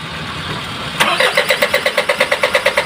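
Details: Isuzu 4HL1 diesel with hard start, cranks but won't run: steady cranking at about six compressions a second that never fires or catches; turns over fine but won't start.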